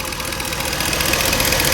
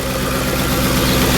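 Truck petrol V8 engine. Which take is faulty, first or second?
first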